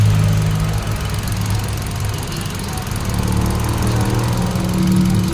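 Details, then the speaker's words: 2017 Hyundai Accent, ignition coil already replaced but still misfiring; lumpy stumbling idle with dropped pulses; one cylinder's coil gets no firing, coil socket suspected. "meron din pero walang firing sa coil Ayan oh so titingnan natin kahit iangat mo walang walang putok"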